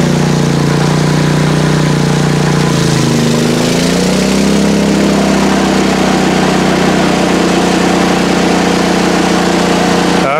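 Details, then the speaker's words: PowerSmart MB5040B 4400-watt generator (rated 3600 W running) under about 3,000 W, 25 A load on 30 A outlet: engine drone sags then holds a lower, heavier note; laboring but running near full load. "so it is running with all right so if my kilowatt was accurate before this is running at 25 amps 3,000 Watts it's rated for 3600"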